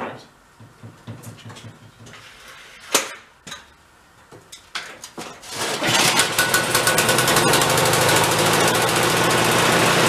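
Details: Ariens snow blower, after fixing a past repair mistake: a few pull-start cranks with choke, then the engine catches and settles into a fast, even, steady run; running properly.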